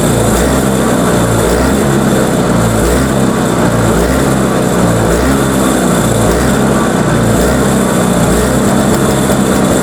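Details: Toro Power Clear 21in single-stage snowblower, 141cc 4hp two-stroke, pull-started because the electric starter's Bendix isn't engaging. After a first carb cleaning it buzzes, rising and sagging every second or two; still surging, carb suspected.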